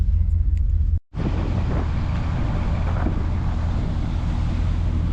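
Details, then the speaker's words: Barn-find 1973 Ford LTD V8 at idle with new Speedy 10 mufflers, heard from the front: deep, even rumble with no ticking or leaks, slightly smoky; the new exhaust sounds healthy. "Not too loud from up front. Nice [Music] rumble."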